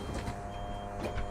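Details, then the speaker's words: E&P Hydraulics Level C levelling system on a 2020 Bailey Alicanto Grande Porto twin-axle caravan, automatic retract: steady electric pump hum and constant whine with a few soft clunks as the jacks draw up; normal operation. "so what we're going to do now is just press retract and each Jack will start going up"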